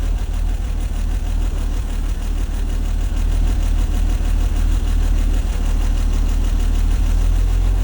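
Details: 1954 Chevrolet 150, old straight-six just revived after sitting (engine bay had filled with snow): chugs unevenly at a low idle with uneven pulses and slight stumbles. Rough running; carburetor probably clogged and to be removed and cleaned. Cause not confirmed.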